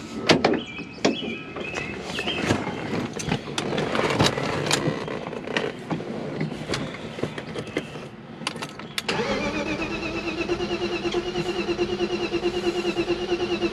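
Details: BMW E36 crank no start after swapping in a tested-good ECU: several seconds of uneven cranking churn, never catches or fires; cause still unfound.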